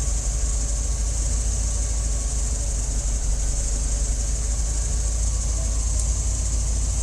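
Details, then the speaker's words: Warm petrol engine idling with FiTech EFI in-line fuel pump after changing the pump setting from 75: even low rumble, pump noise gone instantly; normal quiet fuel pump at idle. "hear it almost instantly i mean instantly when you press that button the noise goes away"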